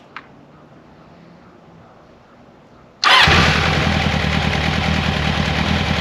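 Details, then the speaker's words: 1994 Kawasaki Concours ZG1000 (GTR1000), first start after carb cleaning, new air filter, cleaned airbox, oil change, tank off with vacuum line hand-held: fires at once, steady even idle, no knocks or ticks; sounds healthy. "So that's awesome. The bike sounds good. I don't hear any bad noises from the motor."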